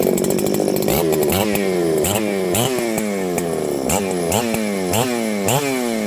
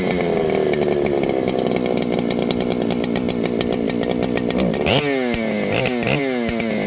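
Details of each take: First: Ported 394XP chainsaw, intentionally built with slightly less compression than a stock 394, warm restart after sitting. It fires readily and revs cleanly, with crisp, even two-stroke bursts rising and settling between blips: a healthy restart and run. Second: Ported Husqvarna 394XP chainsaw that started and ran, then faded into runability issues and earlier seemed to have no spark: it screams high, then the pitch sags and stumbles in repeated dips as throttle is worked. Bog under throttle, possibly from a failing ignition coil.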